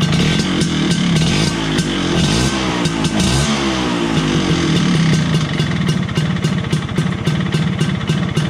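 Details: 1983 Vespa PX125E on its first start after full restoration: engine overhauled with new crankshaft, 177cc cylinder kit, bearings and clutch discs. Crisp two-stroke popping revs up and drops to a regular, even idle; sounds healthy.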